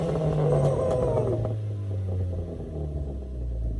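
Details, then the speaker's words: 2016 EcoBoost Mustang, new engine 5,000 miles ago, E85 tune, Precision big turbo, oil and coolant confirmed, warming up: sharp throttle blips each followed by a breathy blow-off valve whoosh; normal free rev, strong E85 smell. "All right, she's alive, she's running, it has oil, it has coolant, so we're gonna let it warm up and hit it 1-2 time, hear that blow-off valve."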